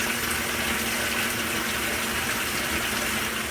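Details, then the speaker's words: Hotpoint top-load washer in service diagnostic mode, water-level pressure test past the 2-inch mark: steady hiss and gush into tub with no buzzing, chatter or hammering; pressure switch believed to be working correctly. "The 3-inch mark has been reached. The 4-inch mark just got reached. I believe the pressure valve's working right."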